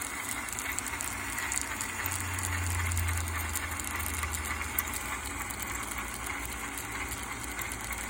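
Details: Axial SCX10 RC truck running with a busy, uneven rattle and faint squeaks; cause was loose screws, fixed by tightening them and WD-40 for the squeak.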